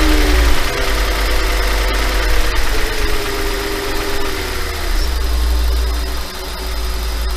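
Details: 5.2 FSI engine at slightly raised idle: light, uneven rattle over the low engine hum; owner asks if normal, suspects piston slap, unconfirmed.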